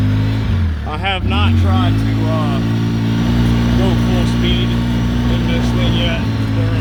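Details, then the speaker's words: 2013 Polaris RZR 800S, riding under light throttle after Rev6 cam replaced a faulty cam, with metal doors: loud steady low drone with no knocks or rattles; smooth, normal engine running. "that motor's not quiet but the motor sounds good everything's smooth everything's working as it should"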